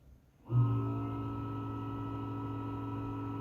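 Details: Creality Space PI filament dryer fan starts up and settles into a loud steady low hum, recorded before repair; worn dry sleeve bearing after months of use, fixed by greasing the bushing.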